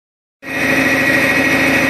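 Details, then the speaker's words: Foton 254 diesel tractor idling: loud, constant high hydraulic whine when no force is on the steering wheel; it stops when the wheel is turned with force. "are really loud, and if I don't put pressure on the wheel, it does it all the time. If I turn the wheel and put force on the wheel, it stops."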